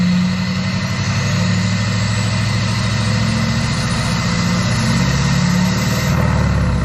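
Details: Chevy Duramax LBZ diesel single cab after AirDog 165 GPH lift pump install and fuel filter fill: deep, even diesel clatter holds steady throughout, no stumbles or knocks; normal running.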